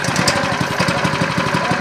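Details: Nearly new Honda WB20XT water pump with GX120 engine that would not start, after carburetor cleaning, fuel on and choke set: fires on the first pull and runs with even chuffing, about seven pulses a second, no knocks or misses. Normal running.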